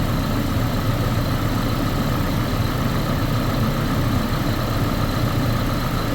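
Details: Chevrolet Colorado with a long crank after sitting (fuel or crank sensor suspected), idling with the fuel gauge showing 60 psi. Deep, steady rumble with an even beat and no misses or knocks; normal idle.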